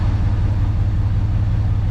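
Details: 1966 Ford Fairlane 390 FE V8 4-speed with rebuilt Autolite 4100 carburetor, not yet adjusted, slight fuel leak; deep steady burble with even rhythm and no skipped beats; earlier miss seemingly gone, idles smoothly.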